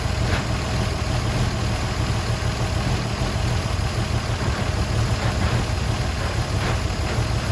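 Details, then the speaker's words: 1953 Chevy 3100 pickup, 235 inline-six first run in over 40 years, fuel squeezed from a bottle into the carburetor bowl: low even rumble at steady idle, no misses or tapping; normal idle. "We freaking did it. So we did have to change our fuel delivery. We got this bottle right here and we just squeeze it to force the fuel into the bowl, and that helped getting fuel into the engine. So, and I got it running."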